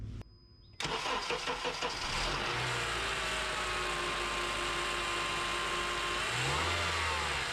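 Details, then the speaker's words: 2007 Honda Accord after serpentine drive belt and tensioner replacement: quick crank, clean catch, then a steady even idle with no belt squeal or chirp; runs as it should. "We'll go ahead and start it up and make sure we don't have any problems, any issues or anything like that."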